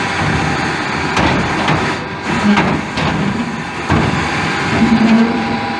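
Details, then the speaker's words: 2000 Mazak QT350 lathe, spindle at 1000 rpm with X and Z axes moving: irregular scraping rubs over a steady machine hum as the apron drags against the rear way wipers, which are dried up and unlubricated. "Only noise you hear there is the apron dragging against the wipers in the back, because it's not lubricated. It was all dried up and clean."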